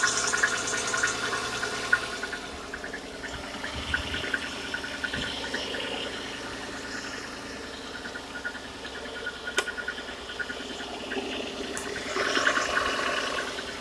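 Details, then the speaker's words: VAZ 2110 1.5 16v, 400,000 km, cold start, piston play found at head gasket change, pistons from 124 fitted: light fairly steady ticking knock about three per second, barely audible when hot; cold engine knock, cause unconfirmed. "Стучит на холодную. Смотрим. Пробег 400 тысяч. Что это за звук?"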